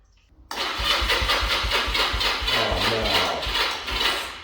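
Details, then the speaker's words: 1985 Honda Rebel 250 after carburetor cleaning, fresh gas: starter turns over slowly at about four lazy strokes a second, fading without firing. The battery is dying. "You kidding me? Battery. Ah. The battery's dying."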